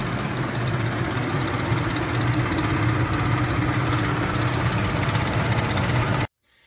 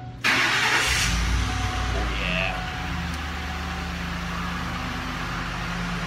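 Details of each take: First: Ford 5.4L four-valve DOHC Triton V8 at warm idle: a constant, steady metallic chain rattle with fast ticking that never lets up. Mechanic suspects broken timing chain guides; the cams later looked in good shape. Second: Ford 5.4L Triton 4-valve DOHC V8 after repair: starter catches quickly and settles into a quiet, steady idle with no ticking or rattling; engine fixed.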